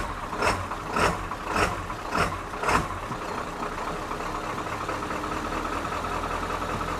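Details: 1997 Ford F350 7.3 turbo diesel, first start after starter replacement and wiring work: a few heavy chugs as it fires, then a steady, even idle with no knock; normal diesel idle. A recurring blown fuse is still unexplained.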